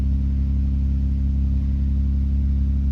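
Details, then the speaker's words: 2000 Toyota Avalon XLS, 3.0L 1MZ-FE V6, just started cold after sitting: steady, even hum at slightly raised fast idle, RPM not jumping, no hunting or misses; normal cold idle, engine starts easily and runs smooth. "It's a little bit high RPM because I wasn't driving this car for much, I just started it. I want to show you the RPM is not jumping, the engine working smooth."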